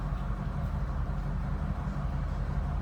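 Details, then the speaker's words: 1956 Oldsmobile Super 88 Holiday coupe, V8, heard from the rear at the tailpipe after starting: steady, even low rumble with no popping, ticking or drone, exhaust not loud; normal exhaust note at idle. "crazy or outlandish for loud exhaust or anything like that."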